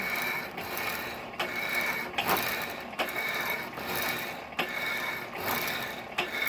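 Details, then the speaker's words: 1916 Diamond Saw Works power hacksaw driven by a 1915 1/4hp Century RS motor, cutting bar. Slow rhythmic strokes come about every 1.5 seconds, each with a sharp click at the stroke reversal from a worn frame pivot bushing, still awaiting repair. "As much power as this motor has, I've considered changing that second 3-inch pulley to a 4-inch to get a little more speed out of it. I have to do some work to that clicking bushing back there in the back."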